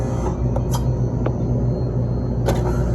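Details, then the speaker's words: Electro Freeze GEN103 (labelled GES103) freezer with both barrels not freezing: steady compressor hum with sharp knocks when the compressor switches on, because the compressor isn't bolted down and jumps on its mount. "I had to go through the diagnostics, and it happens when I turn on the compressor. I went through and turned on the solenoids, and it doesn't happen when I do that. Look. It's the compressor not bolted down."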